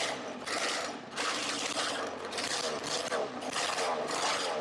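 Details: Roughly 20-year-old 50cc two-stroke mini moto engine, carb left uncleaned, fires after spark plug tightened: high buzzy rasp rising and falling in quick bursts as it catches and revs freely, burning 2-T oil; normal running.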